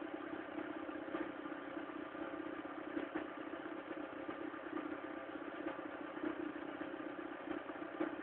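Cold idle with an uneven clatter and irregular ticks riding over a band around 300 Hz; rough, noisy running, cause unclear.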